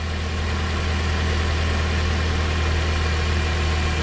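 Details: Toyota with a replacement alternator, idling with the battery disconnected to test charging at about 14–15 V. Even, steady idle with a constant low rumble and no surging or dropouts: the alternator works.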